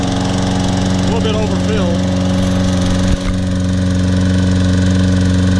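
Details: Toro Personal Pace Recycler 22-inch mower, Briggs & Stratton 190cc 7.0 gross torque engine, first start after carburetor cleaning, tank flush and new air filter: steady governed hum, no surging or misfires; normal running.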